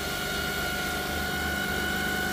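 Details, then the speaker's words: 2008 Jeep Grand Cherokee 4.7L 4x4 idling with a steady high whine over a smooth idle as the alternator is loaded with a carbon pile, battery nearly full; output stuck around 50 A, failed diodes. "and we'll see what this alternator but listen to that thing whining now we know this battery is like pretty much fully charged"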